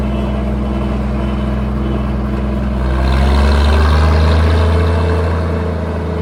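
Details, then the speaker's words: Minneapolis Moline G706 tractor, after valve adjustment: slow idle with an uneven beat and occasional skipped firing; misses only at idle, runs clean off idle; ignition suspected, cause not found. "If you guys can hear that miss, that's what I've been trying to get out of this idle on this tractor. It seems like once it's off idle, it runs great. Doesn't skip a beat, but at idle, it just has a miss."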